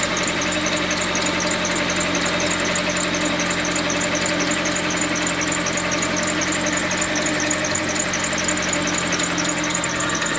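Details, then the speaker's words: Mitsubishi Lancer X idling, oil spraying; rapid uneven knock about four times a second; crankshaft pulley damper rubber broken, vibration loosened the bolt (came off by hand), pulley replaced. "сняли шкив коленвала резиночка разбитая получилось вибрация болт открутился"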